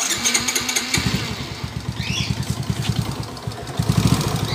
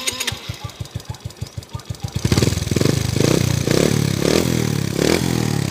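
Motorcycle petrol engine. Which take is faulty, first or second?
first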